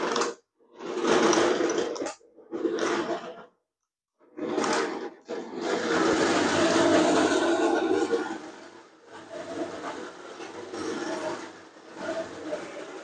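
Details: Nikko 9045 RC Teenage Mutant Ninja Turtle Party Van, a charity shop find, 2.4 GHz, driving forwards and backwards. Short bursts of smooth, buzzing motor whir that start and stop cleanly with no clatter. Normal running.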